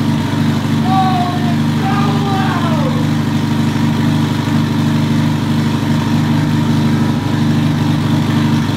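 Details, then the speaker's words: Twin-turbo Subaru STI first start: cold start with a lumpy, uneven lawnmower-like drone before all 4 cylinders fire; misfire, with vacuum leaks and the oil filler neck open. "When it first started up, I was like, damn, it's a lawnmower. It literally sounds like a lawnmower."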